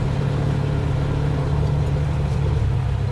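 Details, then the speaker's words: 1949 Plymouth Special Deluxe, first drive after 30 years sitting in a pasture; low steady engine drone under load that never climbs in pitch, bogs and falls on its face on throttle, especially uphill; gear selection questioned. "oh yeah just dies falls on his face when you give it oh man I'm gonna be walking back oh yeah it does not like uphill"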